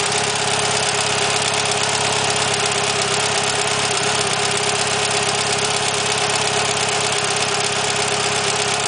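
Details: Mitsubishi Evolution 9 with 272 Kelford cams and Supertech beehive springs and retainers at idle: fast, light metallic ticking about three per second; owner unsure if normal, valve or lifter suspected.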